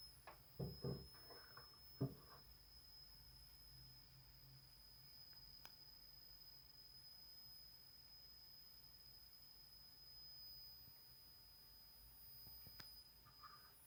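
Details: Audient ID22 audio interface: a thin, steady high-pitched electronic whine from the box over a quiet room, with a few handling knocks.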